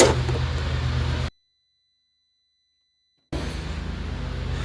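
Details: 1960 Chevy C10 235 engine after 40 years sitting, valves backed off a quarter turn, plugs cleaned, weak compression, oil in plugs: steady cranking with uneven puffs, never catches; owner suspects weak compression and a hanging exhaust valve.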